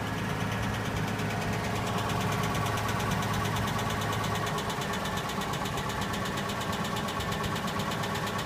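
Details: Nissan Laurel RB20E engine, cold start below zero: fast, light ticking over the engine note at idle, steady with revs; hydraulic lifters chattering until oil pressure builds.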